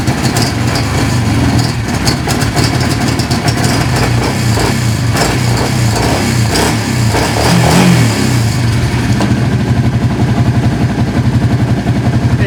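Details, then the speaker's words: 2005 Kawasaki Prairie 700 V-twin ATV after years of storage, once fuel finally reached it, new plug, on choke: loud uneven chug settling into a running idle after blips; caught after long cranking and keeps running. "like that it's running my heads-up display is not working"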